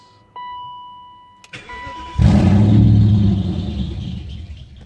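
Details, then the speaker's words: 1997 BMW E39 540i after engine replacement, cold start, codes P0300, P0304, P0307, P0308, P0111, P0116, P0443, P1385, no throttle position reading even after replacing TPS. Catches after a chime, runs lumpy with a nasty misfire, then dies; vacuum leak suspected. "it died up nasty misfire"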